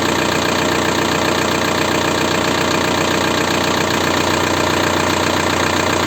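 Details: 1.9 TDI diesel (ALH/AGR/ASV/AHF) at idle after an oil change: sharp, regular knock about 2.5 per second over the clatter, from worn hydraulic lifters plus piston slap. Rings likely burned by 30,000 km oil intervals. New lifters almost removed the knock.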